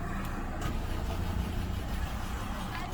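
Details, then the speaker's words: Peugeot 407 V6 after head gasket replacement cranks at a steady pace but never fires; crank no start. Injector codes P0201–P0206 and no RPM reading while cranking, so crankshaft position sensor suspected bad, not confirmed. "it doesn't shake it doesn't move it means the CR sh portion sensor could be bad"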